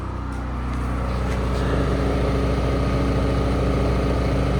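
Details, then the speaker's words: New Chinese air-cooled single-cylinder diesel generator (Yanmar L100 copy, rated 5000 W) powering a 4800 W 240 V heater, near its maximum. Engine audibly takes the load but holds a steady, even thump with no hunting or misses. "So, that is running on full blast heat. And I did hear the engine load pretty good, but you can see it's making some good heat."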